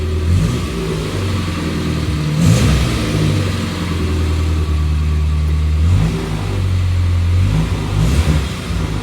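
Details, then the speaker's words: Morris Minor after 12 months in storage, out of gear with clutch engaging fine: engine rises and falls smoothly through several blips and settles to idle, no rattles or knocks; sounds healthy. "No rattling or anything in here. It's beautiful."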